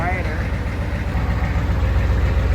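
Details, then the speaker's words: 1986 Ford 7.3 IDI diesel service truck after fitting true dual straight-pipe exhaust, glow plugs weak: even, low idle with mild rattle, no misses, no smoke, quieter than before; normal idle. "Sounds pretty good. I don't see any smoke. I don't see any fire yet."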